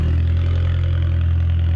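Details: 1.4 TDI VW Polo after a clutch replacement, gearbox refitted and coolant topped up: smooth, even diesel idle with a steady low drone and no rattle from the gearbox end, confirming the earlier rattle is gone.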